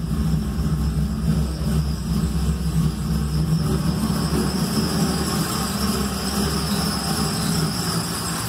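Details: Small-block Chevy 350 V8 first fired after reinstalling a loose distributor and resetting timing without timing marks: rough idle just after start with a faint thin high squeal riding steadily over it; squeal source unclear.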